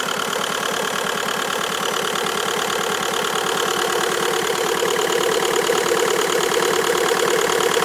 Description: Bruit bizarre ???